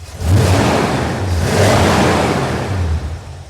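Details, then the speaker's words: 1981 Corvette V8 after replacing rocker nuts, warm after 10 minutes running: quick throttle blip, revs rise and fall cleanly, smooth exhaust note, no ticking or knocking, quieter than before; normal throttle blip. "everything looks good no leaks temp temperatures are good she still sounds good no noise"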